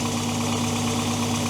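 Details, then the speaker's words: Toyota 22RE engine just after LCE billet big bore throttle body and new TPS install: smooth, even idle with a steady low hum, sitting a touch high but clean with no miss or knock; owner thinks high idle is because there's no coolant. "Listen to that thing purr. I'm idling a little high right now, but I'll make some adjustments on that."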